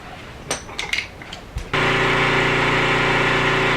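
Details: 5-year-old gas off-grid generator after replacing burnt wires and connectors: after some knocks it catches and settles into steady, even drone, no misses or rattles; runs smoothly.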